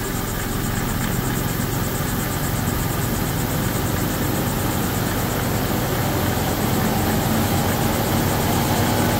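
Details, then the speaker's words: 2011 Volvo XC90 at idle right after PCV valve replacement to cure a loud engine whistle; steady, even idle with a smooth low hum and no whistle or hiss, running nicely. "seems to be running nicely."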